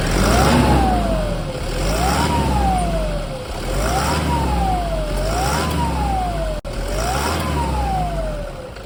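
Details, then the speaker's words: 2010 Toyota Hilux KUN26R, 1KD diesel: high whistle rising and falling with each rev, roughly every two seconds, from a broken turbocharger, before replacement with a new turbo. "that's the noise okay that's the noise of a broken turbo it's like a whistle night whistle noise"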